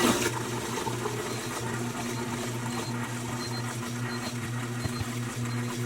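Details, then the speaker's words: New Bosch 800 Series fridge after copper flare water line install, first test, no leaks: low steady hum with faint hiss and small ticks as water flows through filter, purging air. Normal water flow through filter. "Alright, first test. You hear the water going through the filter."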